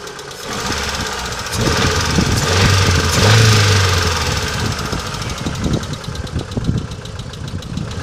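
Light, quick ticking from the top of the engine, about three a second over the idle: noisy hydraulic lifters.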